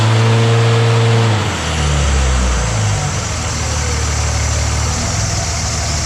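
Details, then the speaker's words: 2006 Dodge Ram 2500 4x4 Cummins diesel after intercooler replacement with CSF 6072, in drive, brake held and throttle applied: deep steady roar with no hissing or whooshing under boost; no boost leak heard. "trying to see if I could hear that boost leak again, but I heard nothing"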